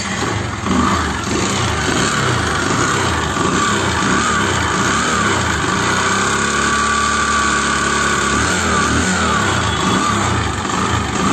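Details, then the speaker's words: Bajaj Discover single-cylinder engine with white smoke and oil burning: runs rough with a dull, rapid knocking clatter; teardown found a seized, scored piston, crank fine, half-engine rebuild; piston slap from scored piston. "इसके अंदर piston की आवाज़ आ रही है, तो फटाफट से इसका एडजस्टमेंट खोलते हैं और देखते हैं इसमें क्या प्रॉब्लम है।"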